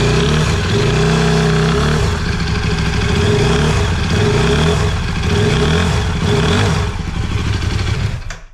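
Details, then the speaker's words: KTM RC8 V-twin, rebuilt two years earlier, broke on track after 2000 km; restarted to collect an oil sample with no oil pressure warning: revs carry a rough, uneven, abnormal metallic clatter, and the oil is an odd colour with metal flakes, indicating serious internal damage. "Bon, je sais pas si tu as trop entendu le bruit, mais il y a un petit bruit quand même pas pas trop normal."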